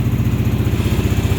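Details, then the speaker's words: 2022–2023 Kawasaki KLR650 started in the 30s°F after sitting a couple weeks; rapid, regular rattle riding on the single's idle thump in time with each firing pulse; rattle at idle, owner suspects skid plate loose after last trip. "here at rattling all mine I need to figure out what that is I think it's my skid plate rattling after my last my last trip"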